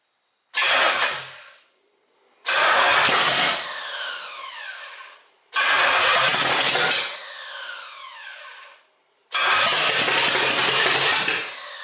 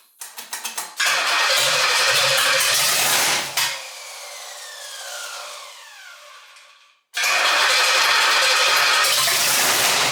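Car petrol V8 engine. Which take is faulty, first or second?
first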